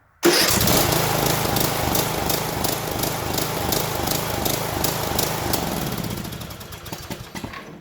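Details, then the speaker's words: Troy-Bilt 17.5 hp riding lawnmower with carburetor issues: engine catches, then speed wavers up and down instead of settling; surging, carburetor cleaning planned as fix. "So you hear that surging."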